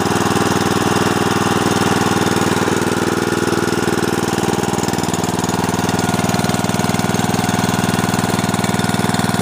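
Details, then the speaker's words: Snapper riding mower: even steady single-cylinder thump at about four beats a second at idle, no misses or knocks; nice smooth idle, normal. "got it up here and their clothes they got nice smooth idle good"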